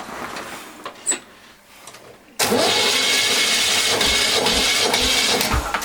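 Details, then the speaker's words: Walk-behind tractor (motoblock) single-cylinder engine after disassembly and reassembly to cure a knock: fires instantly, runs at an even rapid beat with no knock; knock stopped after rebuild, slight gear wear remains. "движком довольны как собрал все стук перестал да там на шестернях есть износ немножечко но все со временем"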